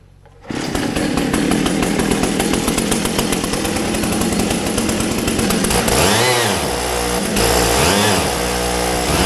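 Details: 1942 Caterpillar 212 motor grader, auction buy, after refitting the coolant sensor: small engine runs hard and steady with a crisp, even buzz and some swelling pitch changes; sounds healthy.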